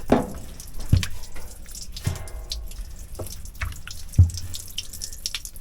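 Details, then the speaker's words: Generator cooling system under pressure test (cap rated 20 psi): separate drips landing about once a second in a quiet room; massive coolant leak found at the upper radiator hose, which needs replacing. "Bam. Okay, we know we got a massive coolant leak."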